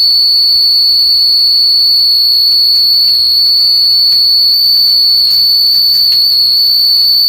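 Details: DeForest 10DA517 AM radio under repair: a loud, steady high-pitched squeal and howl with crackle, an audio oscillation whose cause is still unknown; a shielding test made no change, so shielding was ruled out.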